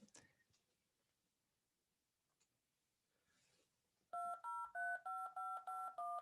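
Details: Wavetable tone generator with buzz avoided by limiting range to 0-127 (63 instead of 64): eight short, evenly spaced dial tones, clear and steady without buzz; clean DTMF tones.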